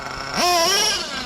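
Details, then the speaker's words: Redcat Earthquake 3.5 nitro RC truck, 21 engine, 30% nitro 10% oil fuel: revs climb to high buzz then sag and bog no matter what; rich with smoke, replaced fuel tank, cause unknown. "yeah it just bogs down no matter what I do"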